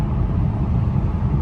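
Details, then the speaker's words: 2011 BMW M3 Competition cruising at about 78–80 mph: a deep, even road and engine rumble with no vibration. The center support bearing vibrates at lower speeds, but the car cruises smoothly here. "Here's me doing, you know, right around 78 80 miles an hour. Um, no vibrations. Car is cruising great."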